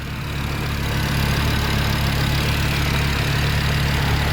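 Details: DAZA engine after rebuild, about 117,000 km, at oil change: smooth, steady low idle with even firing and no knocks or ticks; engine sounds healthy.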